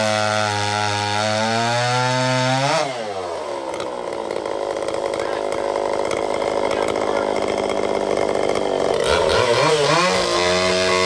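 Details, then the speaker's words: Restored vintage Pioneer P41 66cc two-stroke chainsaw after a carb rebuild, with a free-flowing muffler and a 24" Oregon bar, cutting wood. A loud crisp howl bogs as the chain bites, then climbs back to full revs. Normal running under cutting load. "Let's do a little bit of cutting before we pack it away for some real work of the future."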